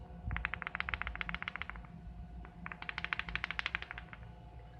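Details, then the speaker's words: Desoldered electrolytic capacitor from Topward 6306D lab power supply being repaired, shaken by hand: two bursts of quick dry rattling, several clicks per second; loose internal part. "I don't think it's supposed to make that sound. I guess I could try another capacitor."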